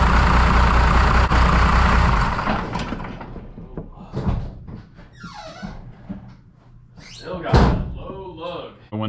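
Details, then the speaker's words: 1993 Dodge W250 5.9L 12-valve Cummins diesel after injector replacement: loud lumpy chugging with uneven low pulses for about two seconds then fading; air in the injector lines, which were then cracked loose and bled. "so it looks like we lost our light here and she's Chugga lugging"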